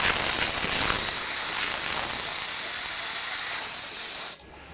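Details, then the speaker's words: Refrigerant hiss for about four seconds while bleeding off an overcharged Mercedes Actros truck AC system; gauges showed excess refrigerant after the engine sat off two hours. The system had roughly two vehicles' worth of refrigerant, being released to fix poor cooling. "अभी भी ज्यादा है और नीचे आनी चाहिए अभी भी रिप्रेजेंट की क्वालिटी ज्यादा है और थोड़ी सी रिलीज करते हैं"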